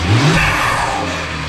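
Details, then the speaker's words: BMW 1M E82 after its blown charge pipe was replaced, checking for boost leaks: short, clean revs rise and fall smoothly with no hiss or whoosh from the intake. No leaks, normal revving. "well great success everything is working no leaks nothing"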